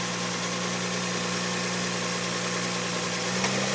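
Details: V6 at idle, parking brake on and a door open: an intermittent sharp click, with the idle rising 50–100 rpm at each click. It is the AC compressor clutch engaging; solved by removing the air conditioning.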